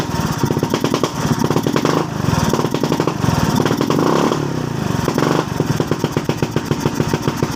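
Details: Suzuki Skydrive scooter that would not start and had an unstable idle, after piston sanding and carburetor cleaning: single cylinder putters unevenly, firing pulses skipping every few beats; misfire from intake manifold air leak.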